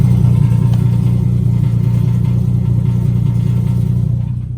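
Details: Nissan 370Z with a Greddy RS-Race single-exit exhaust fitted about a month ago, warm, at idle: a deep drone with a fast, regular rattle on top. The rattle started after the first week and has persisted about three weeks.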